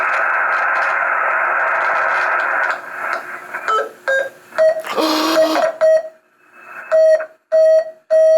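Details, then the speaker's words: 40-metre QRP CW Pixie transceiver kit: steady hiss and hum, then keyed tone bursts near 600 Hz with squawky breaks through the headphone jack. It transmits, but a constant unwanted tone remains; odd noise, cause unknown. "But we are hearing very odd noises through the headphone jack. But it's transmitting."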